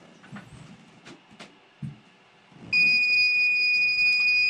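Faint handling noises, then a loud, steady high-pitched alarm tone starts and holds as a fence zone trips.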